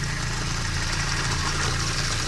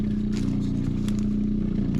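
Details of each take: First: Doulton-filter water filtration station pump after switching from the empty right tank to the second tank and priming: steady low buzzing hum with water rushing, even until it stops; primed and running normally. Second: Water filtration station pump with its first reservoir empty gives a steady low hum with light rattle and no load change, running dry until switched to the second reservoir and primed.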